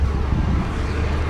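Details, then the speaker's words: 2011 Nissan Altima 2.5 idling right after battery replacement: smooth low steady hum under some wind, no misses or knocks; normal even idle, sounds good. "All right, so it sounds good, and I'm gonna clean all of this up."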